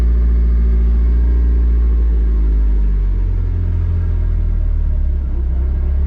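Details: Nissan S14 with SR20 engine, under way after gearbox repair: steady low engine rumble with no whine, grind or clunk from the gearbox; driveline smooth and quiet, earlier noises gone.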